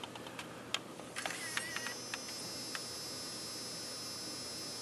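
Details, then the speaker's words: Sony HVR-M10U HDV deck after tape mechanism repair: a few clicks as the tape threads, then an even, steady run with no ticking or foreign noises. Normal tape playback. "No ticking, no foreign noises."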